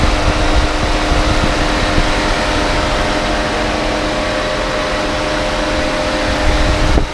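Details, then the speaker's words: Proton Preve that overheated at traffic lights, after its radiator fan motor was replaced and coolant topped up, idling with aircon on: steady, even whoosh over a low hum with no rattle or scrape. The new fan is louder than the old one and running normally. "Bunyi kipas pun agak lain, berbeza daripada sebelumnya. Sebelumnya bunyi macam tak berapa kuat, tapi lepas kita tukar motor radiator fan baru, bunyi dia agak berbeza."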